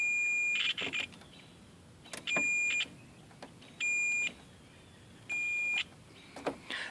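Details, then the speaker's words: 1998 Jeep Cherokee XJ with a dead rear hatch power lock, battery connected: a continuity tester beeps in short bursts, then crackles when the black/pink wire is wiggled. That wire is broken, probably inside the grommet run. "so that wire is broken somewhere between it's like I said it's probably in there so we're gonna fix it"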